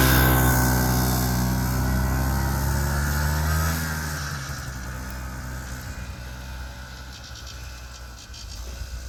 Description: Check out this 1976 Yamaha gp300 snowmobile still running great after 45 years.